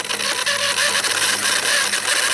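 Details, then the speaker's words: RC rock crawler Jeep ("Beater") on the bench, 2S battery, under throttle: front spins, rear doesn't, high gear whir with quick irregular clicks as gears skip; bearing seen popping out, owner suspects the ring and pinion, the locker, or both. "The front is spinning and the back isn't, but it's making a clicking sound all of a sudden."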